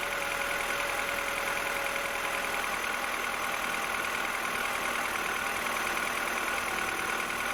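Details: 2007 Mini One 1.4 N12 Valvetronic petrol, which hunted at idle on cold start, after replacing the Valvetronic solenoids; quiet, smooth, steady tick-over just above 1,000 rpm with no hunting or surging; steady idle.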